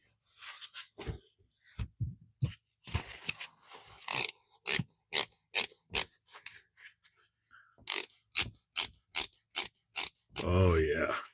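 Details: Old Bonney ratchet after a brake-cleaner bath: crisp, evenly spaced clicks in quick bursts with no gritty drag between the teeth; little crud came out, so the pawl is working clean and smooth.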